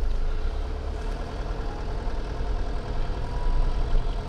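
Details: Nissan Pathfinder, microphone mounted on the front hub while driving, owner chasing a noise misdiagnosed as gearbox, differential or driveshaft: even road roar with soft whooshing, no growl or hum; front hub bearing sounds normal.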